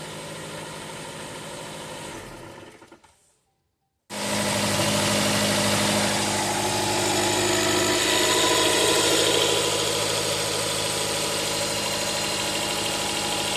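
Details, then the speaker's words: 2016 Jeep Cherokee 2.4 MultiAir idling with a lumpy shake, customer says it shakes driving and sitting still, check engine light; ignition scope shows no firing line on cylinder 3, a consistent dead misfire. "See this vibrating? It's from the, looks like engine misfiring."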